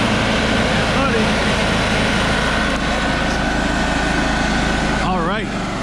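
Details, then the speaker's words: Trailblazer 325 EFI welder engine running after fuel system repair from sitting too long: steady even drone at constant speed, no misses, surging or knocking; dark exhaust from bad gas being cycled through; normal running. "that did the trick hell yeah brother we got her so this is pretty exciting"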